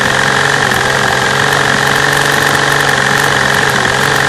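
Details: V12 idling rough and uneven with an irregular stumble under fast injector ticking, camera at the fuel rail over cylinder A3; bad misfire, the tapping being normal injector noise.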